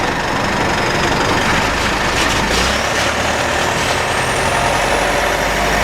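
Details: Mitsubishi 4N15 diesel with V6AWH, about 6,110 km, driving: thin high whine rising steadily with road speed over diesel drone. Later found overfilled rear diff, burnt front diff oil, ATF ~1 L short. Drivetrain whine, origin unclear.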